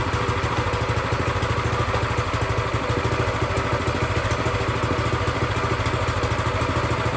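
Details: Brand-new Predator 212cc single-cylinder engine on a plate compactor, first run after the idle speed was raised. Steady, even idle beat with a light clatter and no misses or hunting; healthy.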